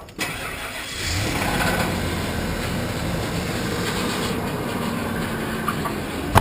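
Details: 2001 Ford E-250 van right after in-tank fuel pump replacement, pump heard priming at key-on: starter turns briefly, engine catches promptly and settles into a steady, even idle with no stumbling; normal start.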